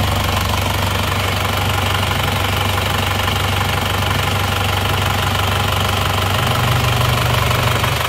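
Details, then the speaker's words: Isuzu Panther diesel that came in with severe crankcase blow-by and an overhaul request; after repair, at 73°C engine temperature following a test drive, it idles smooth and even like new, and dipstick smoke is now normal. "Untuk mesinnya suaranya halus ya, ini suaranya halus, oke, seperti baru."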